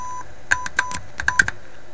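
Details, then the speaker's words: Yugoslavian-built AM/FM/SW tube radio: scratchy crackles and short whistles in irregular bursts as tuning dial moves; tuning capacitor plates touching, outer plate suspected, possibly capacitor bearing; noisy tuning capacitor. "you know this might be the bearing in the capacitor sure sounds like plates touching"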